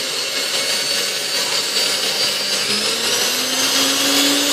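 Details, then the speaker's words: Restored Hamilton Beach Model C mixer, believed early 1930s, new cord: steady high-pitched motor whir that climbs as speed is stepped up, slow to wind up on speed one, no grinding; normal motor running. "this is three like do back below and then shut her off so Singh runs incredibly well I cannot believe how good this thing runs considered the age of this machine"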